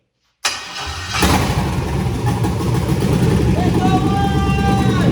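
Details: Chevrolet Vortec engine, pulled from a 2000 Tahoe, first start on an engine stand with a salvaged fuse box after fuel pump priming. After a short crank it catches at once and settles into a steady, even, healthy idle with no misses.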